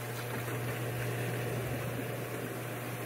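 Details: Plug-and-play hot tub with a single pump that had been humming without turning, after its shaft was spun by hand and it started on its own: steady low hum and even whir; pump motor running normally.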